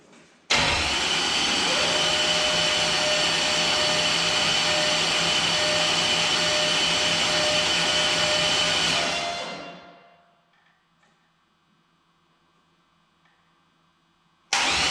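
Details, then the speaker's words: 408 stroker LS engine in an S10, newly installed after bent-crank repair: starter cranks it over with an even high whir for about nine seconds, checking for oil pressure after fuel system priming, no fuel leaks. "all right just got to crank this thing over a little bit see if we can see oil pressure"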